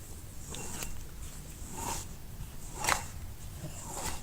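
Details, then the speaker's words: Dodge truck with 12-valve Cummins, reassembled with bad wheel bearings after a shop replaced axle joints: four dull clicks about once a second as the hub is rocked by hand, showing slop; wheel bearing play. "they took it apart and they put it back together with bad wheel bearings"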